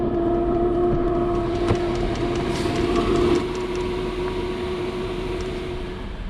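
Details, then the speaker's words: Cheap Chinese diesel heater in a van, running after a service, new silencer fitted; constant rushing roar with steady mid hum as intake hose is reconnected, quieter with the air inlet hose disconnected. Loud heater intake noise. "still noisy but it's better with the air air inlet hose disconnected"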